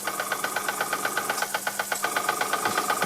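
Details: Unknown Bing toy steam engine, former non-runner, test run on air after resoldering the steam pipe to the boiler and repairing piston, cylinder and frame: quick even chuffing about four beats a second, crisp with no stumbles; running normally.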